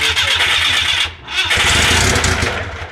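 Starter churns the engine over in a steady whirring rhythm, pauses, then cranks again, but it never catches and runs. Cause suspected, not confirmed.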